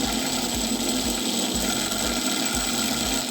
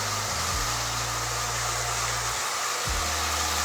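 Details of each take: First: Marx tinplate toy train motor with an E-unit, powered while upside down: a fast, even mechanical buzz with a regular low thump about four times a second and no E-unit popping. The motor runs smoothly; normal motor running. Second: Marx tinplate lithographed toy train motor from an eBay lot, after long storage, run on track: buzzy, uneven whir that stalls and picks back up, pitch shifting as it drags; needs service, should speed up as it warms; rough-running motor, cause unconfirmed.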